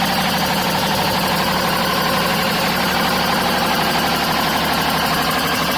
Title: Bmw 530d M57, screeching sounds, not belts.